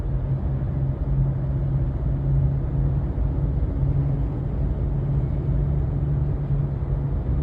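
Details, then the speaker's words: 2018 Subaru Crosstrek cruising above about 40 mph: steady low hum like knobby tires under the road noise, from a rusted, worn rear wheel bearing that was then replaced along with the backing plate. "it's kind of like a hum or the best way I can describe it is kind of like if You' ever heard like a you know a truck with like Navi tires or an ATV or four-wheeler going down the road kind of like that home the tire makes"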